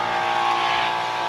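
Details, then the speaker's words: Sinleader DP-24 dual-pump battery box sprayer (M6 V2, battery inside) in two-pump mode: steady electric whine of constant pitch with hissing spray, no stutter or rattle; both pumps running normally. "kita akan coba langsung mode dua pompa nah ini mode dua pompa"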